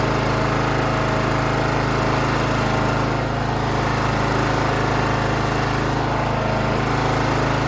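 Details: John Deere GT 275 Kawasaki engine after replacing a broken valve spring, with new valve cover gasket fitted dry: even, steady drone at constant speed, smooth firing beat, no ticking or knocking; healthy running.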